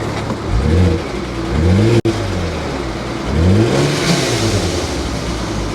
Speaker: yeah that sounds uh that sounds awful awful